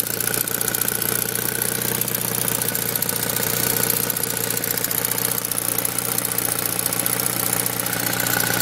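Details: Saab 9000 Aero at idle: fast, fairly even light ticking, about four a second, rides on top of the steady idle; a top-end tick whose cause is not pinned down.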